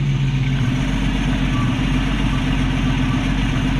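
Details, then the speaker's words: 1965 Ford Mustang with Iron 6 straight-six engine and Autolite 1100 carburetor, after idle speed screw issue fixed; deep, steady idle rumble with no misses, taps or surging, even exhaust note; exhaust routed out through hose; running like a champ, healthy idle. "but she is running like a champ"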